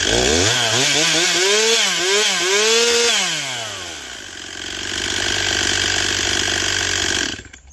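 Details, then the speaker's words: Stihl 241C chainsaw after repair and sharpening, restart check; revs up and down cleanly then settles to steady fast idle, no misfire or hunting, just needs to be run; normal running. "Yeah, I think this one's good. just needs to be run."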